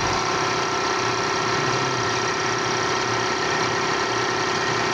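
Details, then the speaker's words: Air compressor after repair (new gasket, oil changed, motor bearings checked OK, belt replaced): steady, even running with a smooth constant hum and no knocks or slapping; noise fixed by belt replacement. "nakita niyo y medyo tuloy-tuloy na yung Andal niya hindi Sia maingay"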